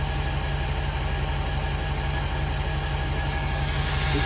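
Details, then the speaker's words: 2006 Jeep SRT8 6.1 Hemi, high mileage, P0305 cylinder 5 misfire, after new coils, spark plugs and injector rebuild, warming from cold start: V8 idles steady and even, much smoother, no shake or shudder, misfire count down to four. "can visibly listen and hear the engine. Much smoother. There's no shake, there's no shudder to it."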